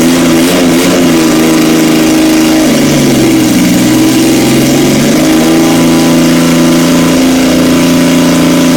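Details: 1977 Yamaha XS750 four-cylinder, first start in 30 years after carb rebuild, velocity stacks, fresh oil, filter, new plugs, auxiliary fuel tank: catches and settles to an even idle, revs rise and fall smoothly, no knocks or misses; normal running.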